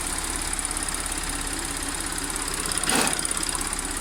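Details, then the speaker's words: Audi S4 B8 3.0T supercharged V6, first start after repairing P0018 bank 2 timing chain that had jumped a sprocket: smooth, even idle with faint blower whine, no knocks or rattles after brief start-up noise; no fault codes, sounds healthy. "sounds pretty good so far I'm happy"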